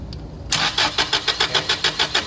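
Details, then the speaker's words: Toyota 8 Series 5,000 lb LPG forklift with a 4Y-ECS engine: steady starter chug, about six pulses a second, with no start. The mixture screw was likely turned in too far, blocking gas flow to the FCM so pressure is held. "So what's happening right now is I think I screwed that in too much. That is not allowing any gas now to go into this, because now my pressure is being held, right?"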